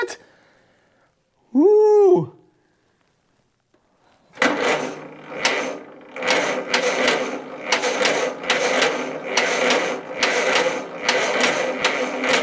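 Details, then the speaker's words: 1943 Case SC tractor after years of sitting, start attempt once spark was restored on all four cylinders, in neutral, with fuel leaking because the needle and seat are not seating. Rhythmic cranking about twice a second with hints of catching, but it won't start. "that's the closest we've come so far all right let's give it another shot"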